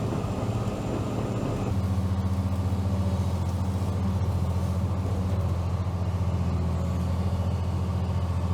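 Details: Late-1970s/early-1980s Caterpillar 235 excavator diesel, recently used: low, steady rumble with an even firing beat, no knocks or misses; normal, healthy idle.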